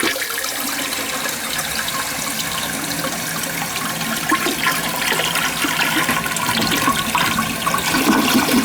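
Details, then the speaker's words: Large-flush, high-usage toilet that kept running. A steady rush of water fills the tank to about 3/4 inch down, then shuts off with no trickle or leak: normal refill. "yeah that's fine usually wants to be like 3/4 of an inch down and I'm fine with it right where it is she shutting off she's not leaking she's good right there"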